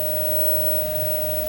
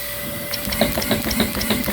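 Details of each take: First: Dyson DC11 upright vacuum during a suction test with the wand extended: steady, clean mid-pitched whistle holding one note over the motor hum. The suction relief valve is opening, as normal. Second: Dyson DC11 vacuum during an airflow and suction test, with the turbine brush head spinning back up. Fast, fairly regular clicking at about three a second sits over the turbine's whirr: an unexplained, newly noticed ratcheting noise inside the brush head.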